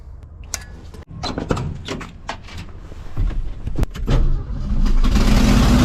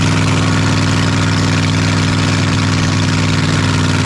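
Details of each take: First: 1982 Ford F-150, 302 V8, after fitting a new budget carburetor (was running on 5 cylinders): cranks, catches and settles into a steady, even V8 idle, about 1,000 rpm, slightly high, no leaks. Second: 1982 Ford F-150 302 V8, manual, after carburetor, rusty gas tank and fuel pump work: lumpy, uneven idle with steady stumble; misfire, three plug wires found disconnected, running on five cylinders.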